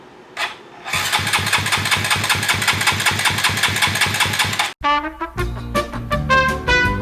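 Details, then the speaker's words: Koso 170cc big bore kit engine (Competition Werkes GP full exhaust, aRacer RCmini ECU, new Kitaco catch can) on first start attempt with a borrowed featherweight battery: steady cranking about two and a half beats per second, never catches; fuel pump suspected unprimed. "I said the fuel pump may not be primed so we're gonna do this a couple times on and off"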